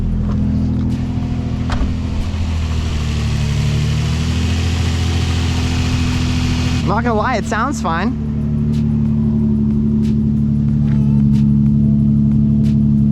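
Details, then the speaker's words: 2006 Nissan 350Z after replacing cylinder 2 ignition coil pack to fix misfire, check engine light not yet cleared: smooth, even low idle hum with steady beat, no skipping; normal idle, misfire seemingly fixed. "it sounds okay yeah it doesn't sound like it's missing anymore huh"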